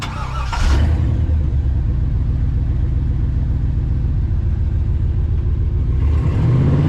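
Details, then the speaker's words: 1948 Dodge pickup with a 5.3 LS swap, restarted after a quick fix for a miss: starts and settles into a deep, even run with no skipped beats; miss seems gone. "Sounds better. Not missing a beat right now. So maybe that's what we had going on."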